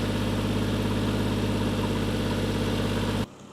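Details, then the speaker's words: Toyota Mark II JZX110 1JZ-GTE after refurbished turbo refit, first start at idle: VVT-i ticking with coarse puffing chuff on each firing pulse until shutdown; exhaust leak blowing badly at a joint. "That tick-in is the VVTi. Exhaust is blowing badly, but we shall wait and see."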